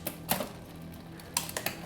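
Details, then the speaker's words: Bike rear derailleur during indexing: a sharp shift click, then scattered chain clicks as the gear slowly catches, a hesitating, slow upshift. "so you can see there when i was shifting that little click meant it was hesitating so it's a little slow there"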